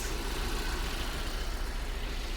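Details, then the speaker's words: Mercedes W124 M102 after the Voltarent EFI conversion: a low, steady idle rumble with a faint unevenness, a slight misfire whose cause is not yet found; the tachometer is also not working. "Sounds like it has a slight misfire. I need to find out um the cause of that."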